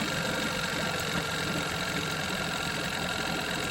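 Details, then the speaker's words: 1987 Johnson 9.9 two-stroke outboard, just started on one pull with no choke after sitting 24 hours: a steady, even, buzzy idle with no stumbling. The water pump stream is stronger and the idle smoother than yesterday's choppy idle. "No choke, one pull after sitting 24 hours to pop off an idle like that. I cannot complain."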